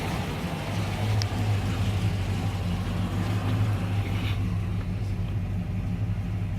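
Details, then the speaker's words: 1973 Rover P6 3500S V8 after adjusting the carburettor idle screws down toward about 1,000 rpm: steady low burble at an even slow idle, no misses or hunting; normal idle. "but right now I would say that's might be happy enough for that let's just make sure we're all good I think that's a bit better"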